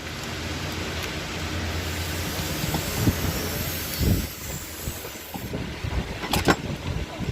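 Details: 2020 Toyota Yaris idling roughly, with irregular low thumps breaking the beat instead of a smooth hum; engine misfire, cause not stated.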